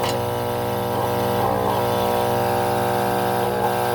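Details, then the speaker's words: Alita 60 air pump test-run during a rebuild: steady, even buzzing hum with no flutter or rattle over a lawnmower droning nearby; both sides good, lots of air, running strong. "Yeah, they're both good. Lots of air."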